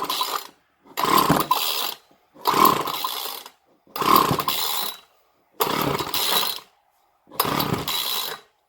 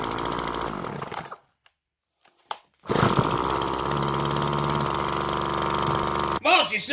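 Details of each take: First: Craftsman 2-stroke string trimmer, model 358.797270, with air filter off, starting fluid sprayed into intake and throttle wide open: repeated short revving bursts dying within a second. Spark is good; a fuel-supply problem is suspected. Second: Craftsman gas two-stroke string trimmer, model 358.797270, bought at a garage sale dead dry, after carburetor mixture screws set about one turn out and filter refitted: steady even buzz, no stumbling or surging, restarts first pull after running about 15 minutes between wide open and idle; normal running.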